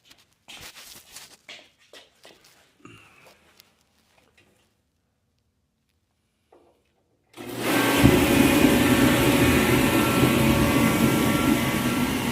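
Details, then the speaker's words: Reddy Heater Pro 150 heater after nozzle cleaning, reassembled loosely and restarted: burner lights into a steady, even roar with fan hum and no sputter; airflow still to be adjusted, nozzle judged main fault; normal burner operation. "I got everything back assembled loosely. I'm gonna go ahead and start it up and let it run and see how we doing."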